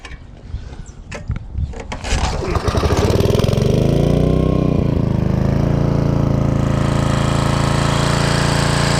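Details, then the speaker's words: 1995 Briggs and Stratton generator after carburetor cleaning, started with choke on: catches after a few pulls and settles into a steady, even drone with no misses or smoke; running normally. "and as you see it started right up didn't smoke a bunch of nothing"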